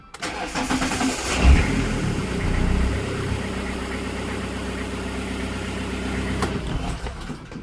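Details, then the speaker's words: Fiat Doblo 1.9D with a newly fitted mechanical SDI pump; pump preload is set, fuel is present and housing pressure is 3 bar; a short cranking churn, then a lumpy idle: hard starting. "im stuck with the starting we got preload, we got fuel but hard to start"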